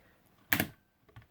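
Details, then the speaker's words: DIY battery spot welder solenoid relay, switch bridging the negative feed: one solid clack then a quick run of sharp separate clicks as the solenoid snaps on and off rapidly; normal switching. "so as soon as you press this button and bridge that gap with the switch you'll get the solenoid ticking okay as you can hear you can do very quick very quickly so"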